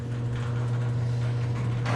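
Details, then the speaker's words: Very old garage door after replacing its rollers and greasing the hinges with lithium, previously sounding awful. The opener hums steadily and evenly as the door travels, with no squeal or roller chatter; normal operation. "he's finished we're going to see if it sounds better and works better or if it gets stuck and that sounds better"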